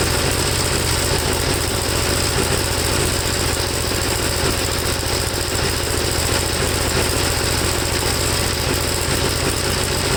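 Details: 1954 Gravely single-cylinder tractor, second cleaned carburetor, no choke, engine hot: loud, uneven beat with labouring, unsteady idle; black plug, owner suspects mixture too rich no matter the adjustment.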